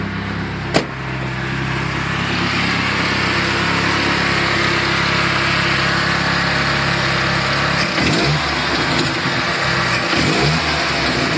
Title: Turbo ranger making strange noises.